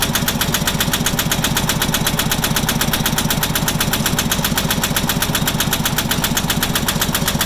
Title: Farmpro 2425 Engine Knock 3